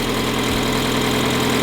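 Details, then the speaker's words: Mazda Miata barn find, idling to warm up after first start in 3 years with good oil pressure, oil unchecked, brakes seized. Steady, fairly even idle with a light top-end chatter; runs pretty smoothly: normal idle. "seems to be running pretty smoothly I guess we'll let it just run"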